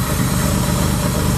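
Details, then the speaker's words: J32-swapped EK Civic with a junkyard single-turbo manifold and exhaust, fitted without gaskets, at idle: a rough idle under a loud hiss and puffing from an exhaust leak at a flange; EGR valve left unplugged. "No, it's definitely from one of the flanges. Try that V-band. No, right here. Oh yeah. Okay, so there's a leak."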